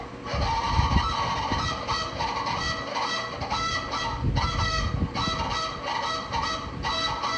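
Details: Bathroom exhaust fan turned on at the switch; loud honking, rooster-like crowing squeal from the motor repeating about once a second over the fan drone; cause unclear.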